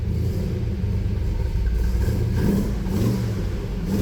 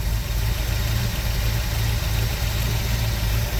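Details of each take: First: V8 with new carbureted engine that was flooding and making no power, first start after carburetor fuel fix: deep steady rumble, smooth even rises as it revs, no stumbling or bogging; running much better, no longer flooding. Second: New V8 engine making no power: loud, lumpy low idle that wavers with no steady beat; rough idle from incorrect fuel pressure, before loosening the regulator adjustment to bring pressure down.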